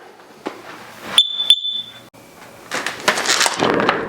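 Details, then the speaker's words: End-of-life chirp from a Kidde carbon monoxide detector about 11 years old: two short, shrill beeps, repeating every 30 seconds even with new batteries; the unit needs replacing. "there you go you can hear it beeping again even with the new batteries in the back it still continues to beep"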